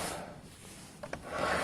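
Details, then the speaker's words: Piaggio Fly 125 scooter, case off, wheel hand-spun: a quiet, even whirr with no grinding. This bearing is silent and looks quite new, unlike an old-looking bearing that sounded unhealthy; it is a sealed bearing. "this bearing is silent and uh actually this Burning looks really old and that bearing looks quite new"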